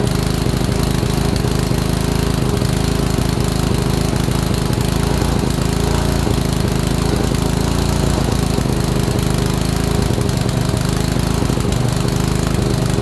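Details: Honda small engine, probably a water pump, after installing ignition coil; keeps running loud and steady with rapid firing beats, won't shut off. Owner suspects a short, possibly from loose coil connections.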